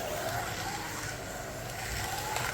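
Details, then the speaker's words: Digital Maserati slot car lapping an oval track: a steady, smooth motor whine that rises and falls with no stutter or rattle, and it responds even at part throttle, below half throttle; normal running. "the Maserati is like the Nighthawk and the uh GTE smooth it even responds at part throttle which is great"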